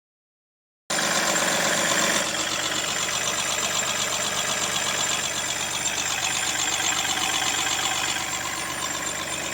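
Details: Mahindra TUV300 diesel idling with a thin high chirp riding steadily on top, about four a second; squeak of unknown origin from the engine bay.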